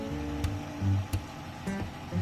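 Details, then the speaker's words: Desktop PC that beeped three times at first power-on and would not display, only fans spinning: sharp single ticks about every half second over a quiet background at switch-on, source unclear; technician thinks it may be normal. "mengeluarkan suara cetit cetit, Guys. Mungkin memang seharusnya seperti ini , teman-teman."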